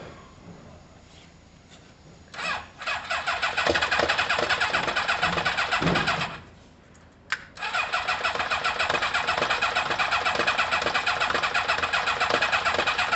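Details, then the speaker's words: Kawasaki ZL600 motorcycle with new coils, tuned carbs and valves done, plug leads two and three being swapped: steady starter churn near three turns a second with no catch or firing; won't start with the leads on the wrong cylinders. "ah no it's close close i'm gonna swap two and three"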